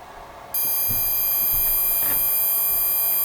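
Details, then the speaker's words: Atari arcade pinball CPU board: after the two seemingly stuck-low pins of the newly replaced chip were bent up off the net and power applied, the logic probe gives a steady high chirp; pins are now toggling, pointing to a board fault elsewhere. "you can hear this came to life that came to life all of them are alive"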